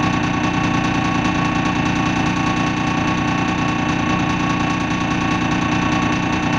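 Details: Dennis Dart SLF diesel bus, registration R269SBA: the idle has an uneven, lumpy beat of about two and a half pulses a second that never settles; rough idle, cause unknown.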